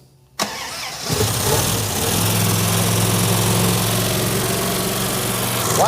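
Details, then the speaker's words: 1971 Plymouth Satellite 383 big-block, long-sitting farm find, restarted with two quarts of ATF added to the oil: loud idle with light rapid lifter chatter over the rumble, otherwise running great. "it runs pretty good except for the lifter platter dude it runs great"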